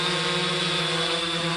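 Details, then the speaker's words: 3DR Solo quadcopter in flight with upgraded Emax MT2216 810KV motors replacing the OEM ones, lower amp draw: a steady, even high-pitched hum with no roughness or beating, much quieter and smoother; normal motor hum. "much quieter much more smoother"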